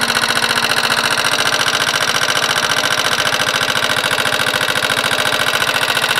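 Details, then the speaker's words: Motorcycle engine, microphone close to the engine, with a steady fast ticking knock of about 3.5 per second over the idle. It persists after repeated valve adjustments (intake 0.05 mm, exhaust 0.07 mm); the cause of the top-end knock is unknown. "я уже вот эти клапана буду настраивать я не знаю сколько их можно настраивать и как настраивать входной 5 соток выходной 7 соток как стучало так и стучит"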